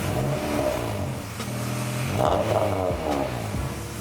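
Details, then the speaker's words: Acura Integra GSR with aftermarket exhaust just refitted and shortened at a muffler shop: engine blips up and falls back with smooth, even note, no rattles or leaks; sounds good. "oh it sounds sounds better now it kind of sounds the same but it sounds good"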